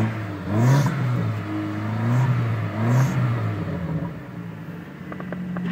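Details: Car revved with non-existent muffler: loud open-exhaust revs with a rising whine climbing and falling with engine speed; onlookers suspect a burning belt, possibly the power steering; whine while revving.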